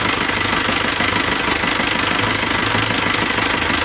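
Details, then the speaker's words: Nissan Panther diesel just restarted after a rebuild with NPR liners and original piston rings, running until the idle settles: an even clatter about three times a second, no misfire or heavy knock. Normal running. "Oke, sementara kita running dulu. Alhamdulillah sudah menyala. Kita running dulu untuk beberapa saat ya teman-teman ya, sampai dia idle-nya langsamnya enak."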